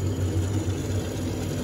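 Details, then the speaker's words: Gas furnace with hot surface igniter starting its cycle after thermostat call: inducer motor spins up with a steady smooth low hum, no rattle or scrape, and pressure switch indicates correct; normal inducer start. "aquí el motor es tractor y empezó a conseguir a funcionar el perfil de presión de presión indica correcto"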